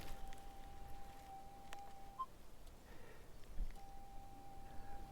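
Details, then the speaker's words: Minelab GPZ 7000 metal detector in high yield mode, sensitivity lowered from the stock 9, which was unstable, to 7. The faint threshold hum now holds one pitch, nice and smooth with no jumping, so false signals won't be mistaken for targets. "nice and smooth with no jumping around. So I'm not going to mistake false signals for targets."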